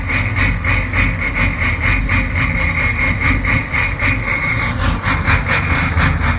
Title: 6.0 powerstroke rough idle and smoke